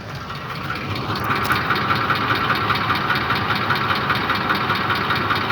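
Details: Ford Triton 5.4 3V idling, solenoid connectors unplugged then refitted (test variant 3): steady idle with a light, regular tick-knock about 2.5 beats per second over the engine note; knock, cause unknown.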